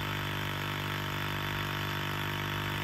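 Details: 1999-07 Ford Super Duty F250-F550 with 7.3 or 6.0 Power Stroke: steady, unbroken drone from the electric vacuum pump that never cuts off due to a vacuum leak; air only from defrost, 4WD hubs not engaging.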